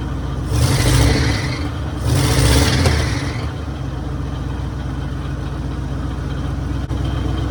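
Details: 1966 Mercury Monterey big-block Ford V8 after a fuel leak fix: two quick throttle blips fall back to a steady, even low rumble with no misses or knocks; idling healthily, running like a top.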